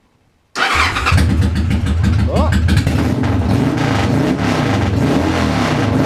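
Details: Engine after starter clutch repair: fires at once and settles into an even idle with a few clean throttle blips. Normal start and rev.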